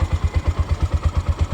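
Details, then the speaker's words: Bajaj BS4 single-cylinder motorcycle engine after rebuild, idling: slightly lumpy, uneven firing at about eight pulses a second, revs rising and dropping; carburetor worn and needs replacing, kit service needed; rough idle. "ಇಲ್ಲಿ ನೋಡಿ, ಹಂಗೆ rice ಆಗಿಬಿಡುತ್ತೆ, ಹಂಗೆ slow ಆಗಿಬಿಡುತ್ತೆ. ಹಿಂಗೆ ಹೊಡೆದು ಬಿಟ್ಟರೆ slow ಆಗುತ್ತೆ. ಕಾರ್ಬೇಟ್ರು ಪ್ರಾಬ್ಲಮ್ ಇದೆ, ಮತ್ತು ಕಿಟ್ಟೊಂದು ಸರ್ವಿಸ್ ಮಾಡಬೇಕಿದು."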